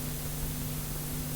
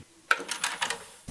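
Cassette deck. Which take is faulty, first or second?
first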